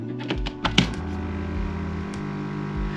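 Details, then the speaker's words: Koi pond air pump kept in the garage above water level, sitting on polystyrene to deaden it: a few handling clicks, then a steady low buzzing hum that holds level; still louder than wanted despite attempts to quiet it, cause unknown. "so as you can see now the 90 mix and I've not been able to stop it making this noise I tried a number of things it's sitting on polystyrene at the moment that kind of deadens it a little bit"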